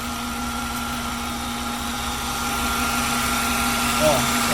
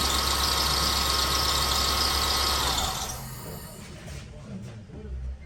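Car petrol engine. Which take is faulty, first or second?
second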